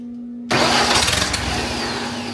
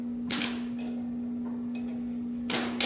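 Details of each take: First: Long-sitting wood chipper engine with a new fuel pump, no fuel reaching the pulled fuel line: starter cranks hard with fast, uneven churn and a few catches but never runs; owner suspects no gas in the lines. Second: Large wood chipper engine on a West Virginia homestead, unseen running, with a suspected mis-wired starter solenoid: starter jumped directly, a steady even electric whir at constant pitch after a couple of clicks, so the starter motor works.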